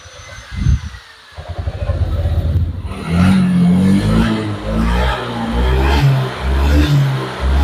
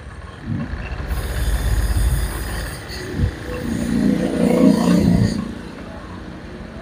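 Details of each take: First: Honda Vario 125 (old model) after repair of severe hesitation (brebet): fuel pump pressure and injector checked normal, ECU reset done; the single-cylinder scooter now revs up in clean repeated blips and drops back without stumble or popping, throttle response restored. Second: Honda Vario 125 with severe brebet; fuel pump pressure normal. Hot-engine O2 sensor reads only about 0.1 V and won't rise even at full throttle. Throttle blips rise unevenly, stumble and sag; faulty O2 sensor causing hesitation, reset only helps about a week.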